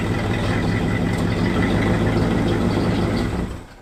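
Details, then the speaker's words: 1966 Cadillac DeVille V8, revived after 30 years in storage, driving after its muffler fell off on the road: a loud, deep, raw throaty rumble from the now straight-pipe exhaust. "we hear something dragging and we pull over and there goes the muffler I heard it I thought it was a hub cap coming off you know what I like it I think it sounds pretty good"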